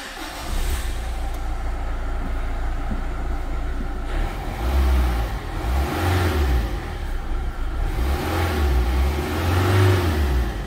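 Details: Renault Clio II dCi diesel started outside after alternator pulley work: steady low diesel rumble with a couple of smooth revs, no squeal or rattle from the front of the engine; sounds healthy.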